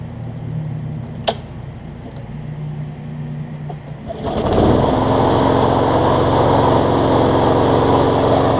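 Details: Briggs push mower engine swapped from a rusted Craftsman deck onto a new Murray deck, held by only two mounting bolts after two broke off in the block: quiet, then fires and runs a steady, even drone without surging or rattle; healthy.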